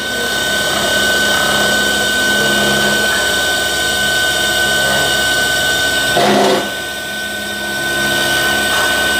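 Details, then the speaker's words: New 12V DC AC compressor after replacement, final test run: steady high electric hum and whir, no knocking; noise is mounting vibration, not compressor; suction and discharge pressure building, drawing about 13–15 A running empty. "ये compressor की आवाज नहीं है। इसकी vibration है। ये देखिए ये रिसेक्शन भी कर रहा है और साथ-साथ डिस्चार्ज भी प्रेशर भी बना रहा है।"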